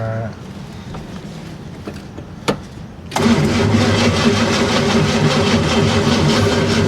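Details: 1965 Oldsmobile Cutlass project car with a battery drain, kept on a charger. A steady crank of about three to four beats a second never catches or fires. The engine cranks but won't start, though it reportedly ran when bought.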